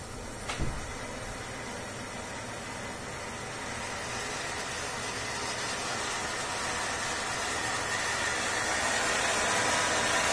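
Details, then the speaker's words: Gas boiler starting for hot water and modulating its burner: hiss like a kettle builds steadily, kettling in the heat exchanger, explained as cavitation of tiny steam bubbles collapsing at very high frequency. "в основном это на keep в теплообменнике в первую очередь происходит такой эффект как консультация он называется кавитация это маленькие пузырьки пара с хлопающие ся с очень высокой частотой"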